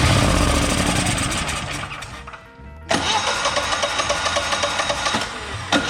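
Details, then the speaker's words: Generac XG10000E portable generator, V-twin, about 20 hours of use, hard to start, choke needs fixing, starter fluid tried: steady electric-starter cranking about four beats a second, a pause, more cranking, engine never catches; cranks but won't start. "come on start we're so close man this thing has always been hard to start"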